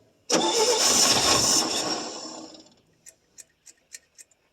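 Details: 1966 GMC half-ton pickup, 250 inline six, first start after sitting about two years: loud starter cranking about two seconds without catching, then scattered pops; seems fuel starved, later backfires and runs poorly.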